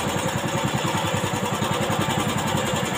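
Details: Old carbureted Honda Beat scooter, after fixing the electric starter that would not work: small single idling with an even, quick beat, no misses or rattles. Engine sounds healthy.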